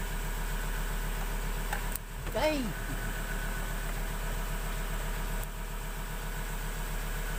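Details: 2018 Ford Ranger Wildtrak 3.2 diesel after a no-start problem was fixed: settles into a steady even idle with clean regular clatter, no misses, knocks or hunting; healthy.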